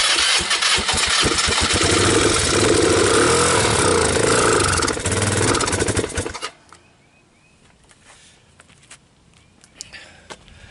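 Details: 2005 Polaris Phoenix 200cc four-stroke CVT ATV, old cold start with starting fluid and solenoid jumped: engine catches and runs ragged about six seconds, then dies.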